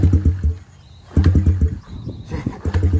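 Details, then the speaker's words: Bike from a collection, started for the first time in a long time after a couple of slow kicks, engine cold: uneven low putting in short bursts with gaps, firing irregularly before catching; smokes noticeably once running. "engine's definitely cold. Oh. There she goes. Woo, she's cold."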